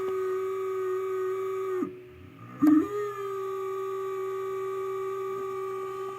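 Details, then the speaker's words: H4 LED headlight bulbs with turbo cooling fans in a car; after about a week of use the passenger-side fan whines and wavers on startup, vibration felt on glass, clears once warm; abnormal fan noise, cause unknown. "I don't know what it is, but you give the housing a tap, the fa"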